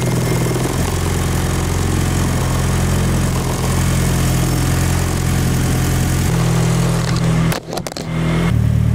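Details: K24-swapped turbo Nissan Cefiro, first run after unlocking timing from zero, filmed at the rear exhaust, not yet at operating temperature: low, steady, even idle burble with a brief dip near the end, no misfire or tick; normal idle.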